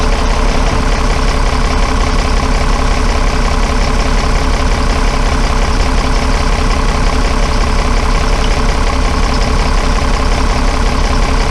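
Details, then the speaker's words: Dennis Dart SLS bus diesel (Project 114) idling at about 170 pulses a minute with slight unevenness. Cracking the cylinder one injector twice brought no note change, so that cylinder is weak, possibly blocked or drawing air, possibly leaving it running on five cylinders. "I only did that injected twice then and you didn't hear the engine zone change so that indicates that cylinder one on this engine isn't doing very much"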